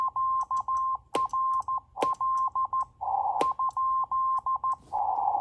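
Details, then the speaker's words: NC40A CW transceiver on the bench at 7060 kHz, sending QRL with the hand key; steady mid-pitched Morse tone with a sharp click at the start of each new character, cause unknown: key clicks on CW transmit. "So the next mystery is, if I, for example, send QRL, you can listen to the clicks. So you get a click at the beginning of each new character."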